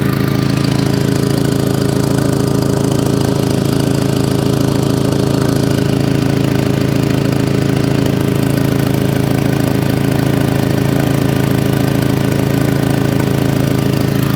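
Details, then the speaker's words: Audi TT at idle just after a new exhaust was fitted: sharp, even puffing chuff about twice a second with exhaust fumes felt and smelled at the front, an exhaust leak at the downpipe, not at the rear. "the down pipes and I think it's definitely going from there so I can just hear it and smell the exhaust"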